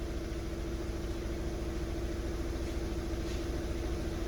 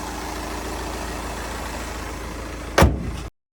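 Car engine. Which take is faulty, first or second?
first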